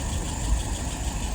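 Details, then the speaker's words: 1948 flathead V8 test stand with restored, adjusted WO carburetor idling about 675 rpm, fuel pressure 2.75, vacuum 23 (excellent), no leaks or float drip; low steady rumble with even firing, no knocks or misses. "Look at that vacuum, 23. Excellent."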